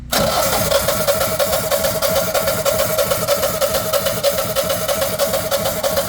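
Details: Generac generator in Houston after a hurricane, with new oil, oil filter, oil pressure sensor, air filter, battery and spark plug. It ran 24 hours, stopped and showed an unable-to-crank code; now a steady starter whine and chug that never catches.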